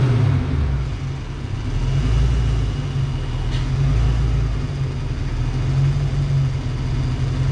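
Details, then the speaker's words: Ford Foxbody Mustang after base idle reset, started with fan on high, AC and headlights on; steady, even low idle rumble with no dips or hunting under accessory load, sounding healthy. "All right, it's time to start it up full load. I like to go ahead, turn fan on high, AC, headlights, everything."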